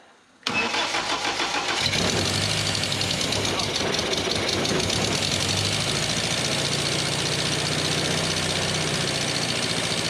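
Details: Petrol engine freshly swapped into the Ninety, fuel pumps on, a little choke, cooling system not yet rebuilt, timing still off: quick crank, then it catches and holds a fairly even idle for ten seconds without stumbling.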